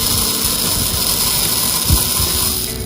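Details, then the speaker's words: Aurora slot car (McLaren Alva) chassis from a parts bin, first test on a transformer: a steady, even high-pitched motor whirr with no scraping or rubbing; it runs free and sounds healthy. "Sounds like it's running free, you know what I mean? It doesn't sound like anything's rubber or anything like that."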